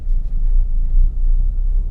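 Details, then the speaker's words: Manual car pulling away in first gear at too-low revs, below about 1000 rpm: deep, uneven, lumpy labouring rumble; engine lugging knock. "sebelum jalan tadi aja atau suaranya tok seperti itu, namanya knocking."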